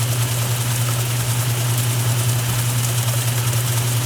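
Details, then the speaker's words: 1978 Maytag A408S and 1989 Maytag A482 top-loaders in spin during the Regular Wash cycle, one up to full speed with the other following into spray rinse; even low hum holding one pitch with no knocking or scraping; normal spin at full speed. "this one's pretty much up to full speed now this one shouldn't be too far behind it with the spray rims as well"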